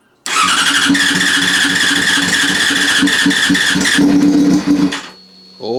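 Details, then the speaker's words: Yamaha FZ6 first start after a project rebuild, no silencer fitted, fuel pump primed: the starter whirs briefly, then the engine catches and settles into a loud open-exhaust idle with even pulses, a normal start. "the fuel pumps just primed up so fingers crossed we'll go for a start see what happens"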